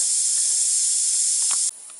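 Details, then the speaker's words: Big truck dashboard air leak at blue air line push-in fitting on air cylinder behind panel: loud steady high hiss that cuts off sharply to faint hiss as hose is moved by finger; air leak. "now if i disturb that air hose with my finger it either acquits or it gets louder right now it's louder so I'm gonna try to just move that thing around a little bit and hopefully I can fix it"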